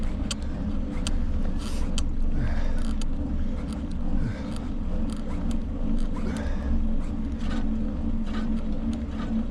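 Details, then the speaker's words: Loaded touring bicycle riding in cold wind: light metallic clinks about once a second over wind rumble as an out-of-true wheel rubs the brake each turn; wheel needs truing. "Clink, clink, clink. Told you it needed to be trued. I got the brake rubbing."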